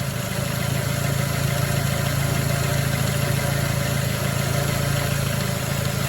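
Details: 2006 Ford Focus ZX4 at idle on ramps, before repair: faint rubbing drone over the engine note from the belt drive; worn idler pulley bearing, pulley to be replaced.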